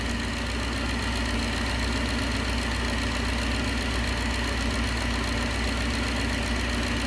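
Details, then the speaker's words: 1969 Gloria supercharged V8 at idle on first proper start; faint irregular light knock about twice a second, growing as crankcase vacuum pulls the cam cover baffle down against it, no catch can yet; cam cover baffle knock. "it'll get louder and louder as you pull crankcase vacuum pulls the baffle inside the cam cover down and touches against henshaw you take it away and the noise goes away"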